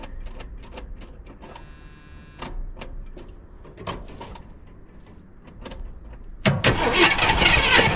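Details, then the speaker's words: 1979 Jeep Cherokee AMC 360 V8 after sitting 3+ years, restart after suspected bad starter solenoid connection. Slow irregular clicks and six seconds of cranking, then a rough catch; it starts but won't keep running, low bad-looking gas in plastic jug used as tank. "Alright guys, I can't keep it running."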